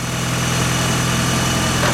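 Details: 1996 Mitsubishi Evo 4 (JDM) idling after a jump start from a dead battery using a 12 V power-bank jump starter: smooth, steady idle with a low even hum and no knocks or surging; engine running healthily.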